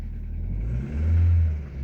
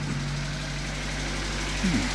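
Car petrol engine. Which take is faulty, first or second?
second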